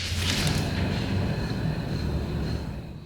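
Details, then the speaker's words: 1999 Kia Sephia, rear wheel spun by hand: rough gravelly rumble fading as it slows from a noisy rear wheel bearing with no play; front bearing also noisy with lateral movement; both to be replaced. "You can hear that bearing making noise, and then if you watch this, there's a lot of up and down lateral movement to it."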